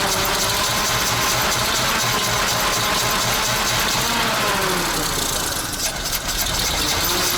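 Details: ZIL crane truck petrol engine after 20 years standing, fresh petrol: steady idle with a busy, even ticking rhythm about four per second; running again after long storage.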